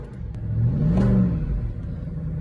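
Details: Audi A8 D2 V8 first start after replacing the fuel pump and fuel pump fuse (fuel issue fixed): catches and revs up cleanly, smooth rising roar settling back, no misfire; fuel delivery normal.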